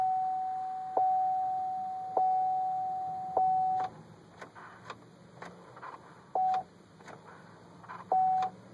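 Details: Chevrolet Trailblazer that won't start: mid-pitched warning chime repeating about every 1.2 seconds, then scattered clicks and short beeps; the engine does not crank, cause unknown.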